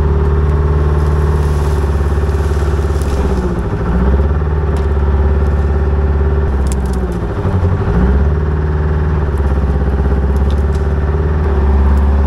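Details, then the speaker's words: Old budget diesel excavator after priming the fuel system with an electric pump. The idle is uneven and lumpy, hunting and dipping twice; it runs better but still rough, with fuel issues suspected. "all right so it's definitely running better but um I still think there's some fuel issues going"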